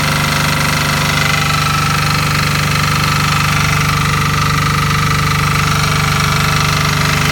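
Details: Fermont MEP-831A military 3 kW 60 Hz single-phase diesel generator, built 2001, rebuilt 2010, 2.2 hours, new oil and fuel, electric fan, just started: steady diesel chug at constant speed with firm even hum, no knocks or surging; normal running.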